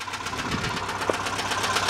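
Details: 1992 Subaru that started knocking while driving, found very low on oil, still not on dipstick after adding 1.5 quarts: steady idle with light regular ticking knock; owner suspects bent push-rod, cause unclear.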